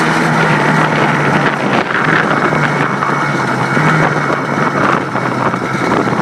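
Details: Yamaha Blaster two-stroke test run after rebuild: steady drone at even pitch under heavy wind buffeting, no knocks or misses; engine running healthy.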